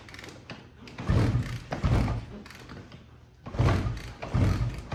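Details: Suzuki TS185 barn find, sat 25 years, fuel on: heavy kick-start thumps in bursts a couple of seconds apart, each with short churn, never fires; compression release venting pressure suspected, later removed and it ran.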